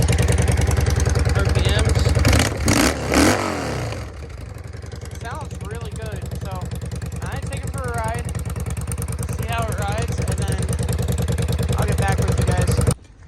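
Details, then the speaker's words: Yamaha V-Star 650 V-twin after fitting aftermarket pod air filters in place of the airbox and tuning, added tachometer: steady, even idle around two hundred pulses a minute, no misses or knocks, birdsong behind; running healthy. "hey guys so I got idling right now sounds real"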